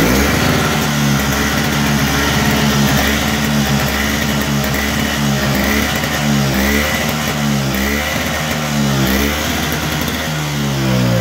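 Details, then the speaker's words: Toro Power Clear snow blower with R-Tek 141cc engine surging badly from startup, speed hunting about once a second. Fixed by carburetor/governor RPM adjustment, set with a tachometer. "This here surges real bad when it starts up. Common issue on any of the powerclear models, a lot of your smaller snowblowers like this from Toro."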